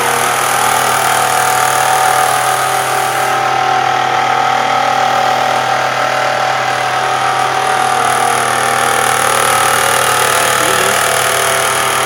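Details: Engine at idle: a thin, constant, even whine over the engine noise. Owner suspects a worn alternator bearing; not confirmed.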